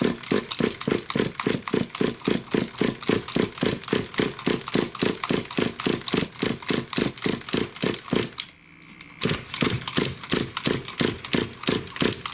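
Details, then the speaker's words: New RC nitro engine with the pull starter: steady, fast cranking chuff that never catches; turns over but won't start. Possible flooding; a loose glow plug is suspected, not confirmed. "so no don't want to go for me all right just have to make sure i haven't flooded the engine doing that"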